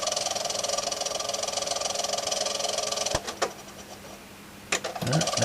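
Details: Monarch turntable in a c1960 Kriesler 11-79 radiogram during service; steady motor hum with fast flutter, then a click, near-silent pause and another uneven attempt, reluctant to start, idler or motor suspected of noise.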